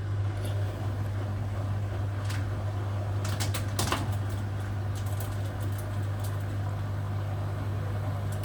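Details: Hotpoint Aquarius WMA58 washing machine test spin: steady low droning rumble with light rattles from shot drum bearings; machine was scrapped.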